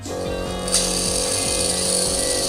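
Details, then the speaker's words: Pump 3 on a homemade automatic watercooling-cleaning rig running at low speed during the first water fill, flowmeter turning: steady mid-pitched electric hum with no rattle or surging; normal. "on peut voir le débitmètre qui est en train de fonctionner puisque deux vers passe dedans on entend le bruit de la pompe aussi"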